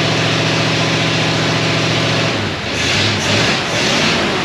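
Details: 1937 Ford with 59 AB flathead V8, straight-pipe dual exhaust, freshly recored radiator, hot day around 90°F: deep, even burbling idle then clean throttle blips rising and falling smoothly with no miss or knock; sounds awesome, maybe has a cam.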